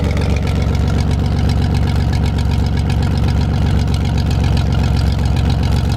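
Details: 1973 GMC 432ci V6 engine, out of a parted-out truck and sitting unstarted almost five years, run on a can of fuel after light prep: deep, steady idle with even low firing pulses, no misses or knocks; normal idle, healthy.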